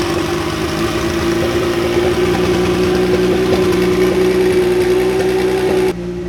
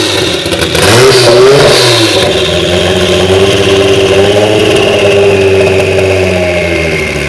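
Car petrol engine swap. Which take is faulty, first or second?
second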